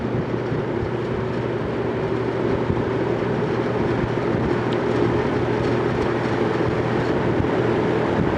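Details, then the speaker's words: Vintage General Electric 3-speed reversible box fan, freshly oiled, running on medium before switching to high: steady, even hum and airy rush, no squeal or scraping. Normal running. "medium that's almost like it was on high before and now we'll go to high and kick in the afterburner"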